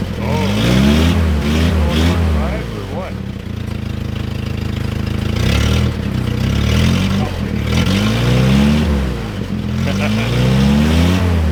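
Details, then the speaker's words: 1960 Jeep CJ old four-cylinder, first cold start in years, new battery; idles evenly then revs up and drops back smoothly several times, no knocks or misses; carburetor judged fine, normal idle and revving. "well there's obviously nothing wrong with the carburetor"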